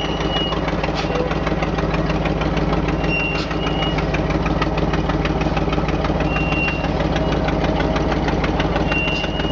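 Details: Old GMC dump truck with air brakes, jump-started from a golf cart via jumper cables to raw battery wires, running while being backed up; deep, even thrum with no knocks or misses. Engine runs smoothly.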